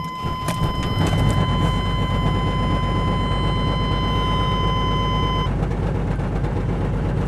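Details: 1996 Chevy S10 Blazer 2-door, cold start: low, uneven, lumpy rumble with loud exhaust from a bad muffler; rough running blamed on a faulty fuel injector spider.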